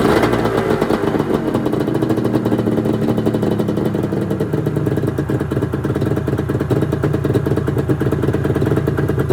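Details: 1996 Arctic Cat ZRT 600 two-stroke snowmobile after fuel pump rebuild, cold start: crisp even crackle at steady high idle, no stumbling or knocks; normal running.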